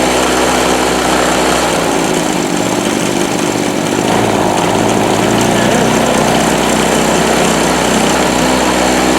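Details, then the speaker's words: Harbor Freight Storm Cat 2-cycle generator, after choking too much so it floods: uneven, burbly, sputtering buzz as the choke comes off, blowing smoke, then steadier as it burns off excess fuel; running rich and clearing out. "You can hear it when I take the choke off that it's sputtering, and before it shots smoke out."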